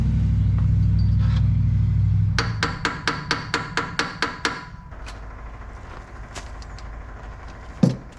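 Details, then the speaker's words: 1963 Corvair, first start attempt after bench-balancing carburetors: about ten cranking beats at four a second without catching; owner suspects a stuck needle in one carburetor flooding it. "I think it's flooding it. I'm gonna pause, time out."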